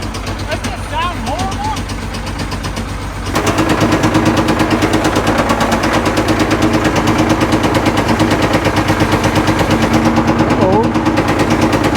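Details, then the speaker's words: Caterpillar 977L track loader started on heavy ether: loud, rapid banging about three per second over rough idle, sharp gunfire-like cracks; backfiring and rough running, though oil pressure good. "you want backfire man it just sounds like it's going to come apart"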